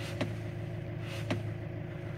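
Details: 2008 Fiat Scudo: two sharp single knocks about a second apart when turning the steering wheel left at idle, silent turning right; checking showed worn steering shaft splines, not the universal joint or steering rack.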